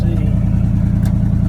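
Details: 1979 Chevrolet C30 square-body truck with no fuel tank: a deep, steady V8 beat with even low pulsing and no knocks or misses. Normal running; it sounds good.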